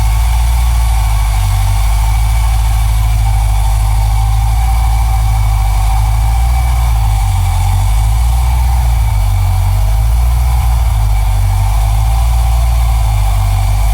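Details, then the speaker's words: 1980 Camaro with Thrush muffler idling: deep, very loud, even burble with no misses or knocks; engine runs smoothly, just a loud aftermarket exhaust. "Motherfucker loud, cuz."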